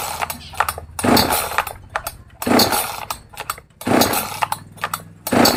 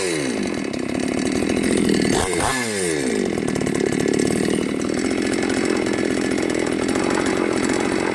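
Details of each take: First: New Magnum G11 chainsaw, out of the box: repeated throttle blips flare roughly and sag instead of reaching clean high revs, bogging on acceleration from a lean carburetor setting needing tuning. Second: New Magnum G11 chainsaw after removing the carburettor neck spacer and reassembling: revs climb and fall smoothly with no bogging or stalling; normal acceleration, no-power problem fixed.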